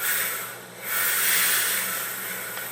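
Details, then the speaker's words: Used, apparently all-original Duo-Art rotary vacuum pump under load with the vacuum gauge fitted and the intake partly closed off, pulling well over 120 in: a steady airy hiss over a faint low hum, smooth with no knocking. Healthy pump in good shape. "It's producing well over 120 in. So, I'd say that this puppy's in pretty good shape."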